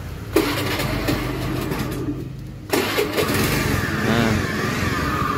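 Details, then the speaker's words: Honda Scoopy carburetor scooter started and idling with harsh buzzing robot-like engine drone; CVT removed to isolate, suspected engine-internal cause such as crankshaft bearings. "Nah jadi ini suara mesinnya seperti robot ya"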